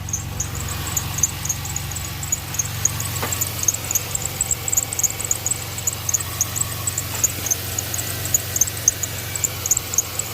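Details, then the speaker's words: 2006 Pontiac Grand Prix 3.8L V6 idling just after a coolant top-up for a radiator leak, heater on, bleeder open: sharp high chirps about once a second over low engine hum; owner can't tell if alternator pulley or power steering pump is squealing. "Can't tell if it's the alternator pulley or if it's the power steering pump."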